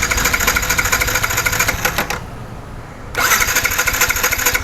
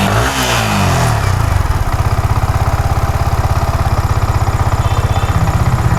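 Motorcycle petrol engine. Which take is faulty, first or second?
first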